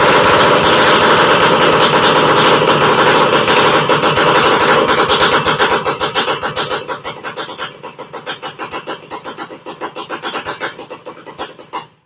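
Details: Horizontal Minarelli two-stroke running with no expansion chamber fitted yet (an '85 stock pipe is planned): sharp, raspy popping from the open exhaust with fairly even firing that fades and stumbles as it is shut off.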